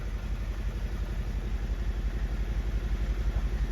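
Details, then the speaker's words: 2016 Mazda 3 2.2 Skyactiv diesel, off the road six weeks: lumpy, shuddering idle pulsing about three times a second, won't rev, check engine, DSC and traction lights on; misfire, injectors to be tested. "okay she runs like a yor is choked up she won't won't rev we check engine lights it's actually shuttering like crazy there"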